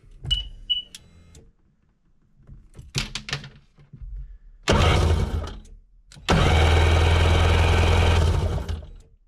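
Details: 2003 Sea-Doo GTI RFI two-stroke, key on during fuel pressure test: after a few clicks, a steady low electric hum for a few seconds; fuel pump priming normally, about 55 psi, within 55–60 spec.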